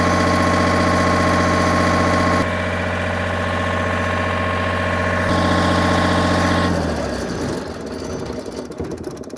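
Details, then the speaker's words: MEP 1040 military diesel generator just started, at 60 Hz making power: steady diesel clatter at constant governed speed, then winds down at end; normal running, owner suspects two pumps bad. "I can see fuel is making its way all the way back to the tank it booted up it's running and making power that's a fantastic sign"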